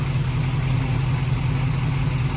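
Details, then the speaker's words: 1970s Mercury Cougar V8, hot, brought in for noisy lifters and backfires, with a suspected stuck lifter plunger and ignition timing thought incorrect: deep, even idle rumble, no lifter tick; normal hot idle. "we're going to take it for another spin but that that motor legit sounds good"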